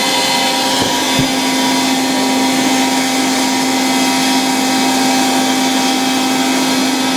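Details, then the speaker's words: 1960 Polish Alfa II vacuum cleaner with an SK-5 motor, run briefly on mains power despite very worn motor brushes. Switch clicks, then a steady, even motor hum and airflow rush with no rattles or surging; good suction. "A very nice vacuum cleaner, with really good suction power."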